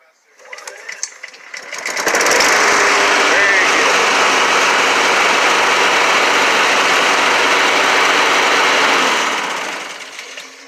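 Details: Honda HRX217 mower after new drive belt, new recoil and carburetor clean, light pull start: catches quickly then settles into a steady, even buzz with no misses or knocks; running normally.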